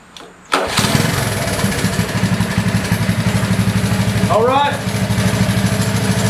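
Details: Honda ATC 185s after recoil pull starter rebuild: one quick pull and the single-cylinder fires right up, then holds an even, steady thump at idle; the starter works properly.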